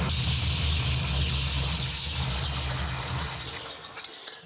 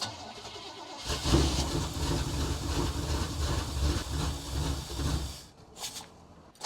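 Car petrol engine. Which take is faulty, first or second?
second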